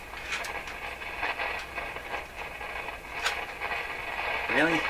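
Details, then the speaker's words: Rogers 11RA651 shortwave radio, volume turned down: irregular scratchy crackles and pops come and go over a steady hiss, worse when tapped; owner suspects a loose wire underneath the chassis, not confirmed. "this I'll never do well we got this far so I got to deal with this this this sounds like a loose wire or something underneath"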